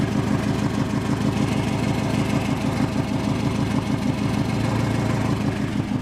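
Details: Subaru WRX at idle, turbo spooling about 1000 rpm later than it should during tuning: fast ticking puff about three per second over the engine note, a confirmed exhaust leak, boost leak also suspected.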